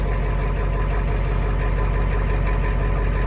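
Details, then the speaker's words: 1991 Ford F-350 IDI diesel with new Motorcraft glow plugs on push-button pre-heat, just cold-started; steady, even low clatter at idle with no misses or stumbles: normal idle. "And then I didn't hold the starter down the first time, but yeah, she fires right up."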